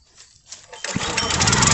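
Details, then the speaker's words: Country Line 25-ton gas log splitter, 6.5 hp 196 cc engine, complaint floods out with gas from the exhaust. With choke on, after a few quiet pulls it catches and roars up unevenly, then shuts off when the fuel is turned on; carburetor suspected. "oh try to turn the gas on and it just shut off so let's see what's down inside the carburetor"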